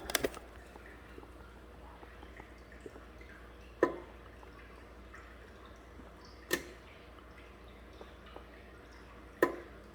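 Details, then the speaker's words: 2014 Hyundai Accent with a P0441 code: the EVAP vent solenoid, commanded on and off by scan tool, gives four sharp, clean clicks about three seconds apart, working normally. "you can hear it clicking so i'm sure that's working"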